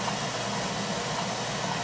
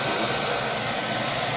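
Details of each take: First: Beckett oil burner that starts smooth then vibrates and shakes the smoke pipe: steady burner roar with faint irregular clicks about once a second, getting faster, earlier louder; loose fan or fan blade suspected, not confirmed. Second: Beckett oil burner after repair of a vibration that shook the smoke pipe, stripped motor-to-pump coupling found: steady even roar from fan and pump with no thumping or shaking; running smoothly.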